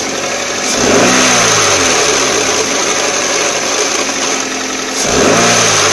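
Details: 2004 Toyota Corolla CE, manual, clutch at 146,000 miles, cold idle in neutral, clutch pedal released: steady hissy whirr over the engine note; gone with clutch pressed and after warmup; owner hopes throwout bearing, not transmission.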